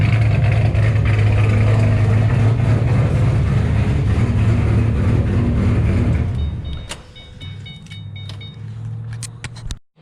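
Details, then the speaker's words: 2007 GT500 supercharged V8 with L&M NSR cams and a Venomous Tuning tune, after refueling following the first start. Loud, choppy lopey idle at an idle rpm the tuner set; it sounds healthy. "she's camped out now sounds absolutely incredible uh venomous tuning the bj over there you got the got a perfect idol rpm where it sounds amazing at idle everything's great"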